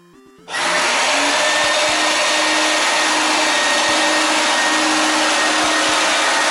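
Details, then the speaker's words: 1988 Numatic WVD 750 industrial vacuum, twin B2-1004N motors, 1600 W combined: loud, steady roar with constant high rushing pitch and no wavering or rattles; healthy normal running at full suction. "it's from 1988 wbd 750 uses two motors monster it's very loud it's got a lot of suction"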